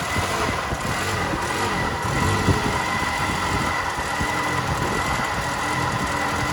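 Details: 2000 Toyota Yaris 1.3 VVT-i automatic idling: uneven irregular stumbles and dips in steady beat; misfire/hesitation, no fault codes, plugs, air filter, fuel pump and throttle position sensor replaced without fix, MAF not replaced.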